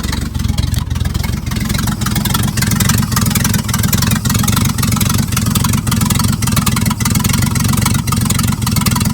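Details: 1950s Dodge dump truck, old inline six, sat 30–40 years with bare wires used as spark plug leads, running again: a low steady rumble at even idle with a few light revs, no knocks or misses.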